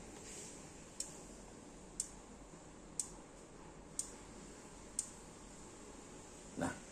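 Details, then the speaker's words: Yamaha Aerox scooter on a scan tool injector test, with a standard relay and manual ISC: five crisp, evenly spaced ticks. Normal fuel injector clicking. "ada bunyi cetek-cek. Harusnya dia aman."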